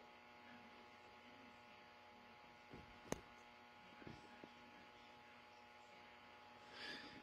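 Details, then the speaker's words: R5000 receiver at dusk waiting for LED street lights; steady mains-type hum with buzzy edge, quite bad, suspected interference from LED street lights or neighbours' Christmas lights, not confirmed. "but the buzz in the background is quite bad at the moment and I have a camera recording that as we speak at the same time as I'm recording this one"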